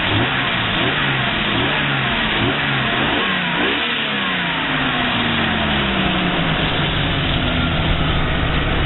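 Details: 1988 Jeep Cherokee with a replacement engine, exhaust leaks noted: clean blips rise and fall smoothly with the throttle, returning to an even idle with no knocks or misses; runs well.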